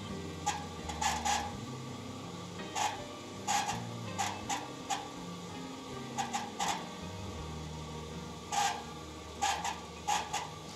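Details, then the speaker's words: Simpson/Electrolux-type clothes dryer gives a low motor drone with irregular short scraping screeches, occurring mainly when mounted upside down and less in reverse rotation. The cause is worn motor bearings, after the main bowl bearing had recently been replaced. "And he, with the way he was describing it, he was saying it was screeching. And it kind of is screeching, but it's not the squealing type of effect that I was expecting."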